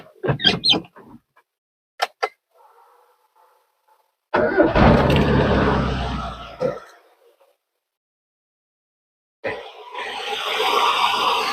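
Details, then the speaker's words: 1990 Mazda 323 sedan, 1600 cc carbureted front-wheel-drive engine with CDI ignition, cold start: catches on the first crank, then settles into an even, steady, very smooth run with no knocks or misses; normal start and idle. "Teman-teman, dan starter sekali starter aja langsung nyala. Suaranya masih halus banget."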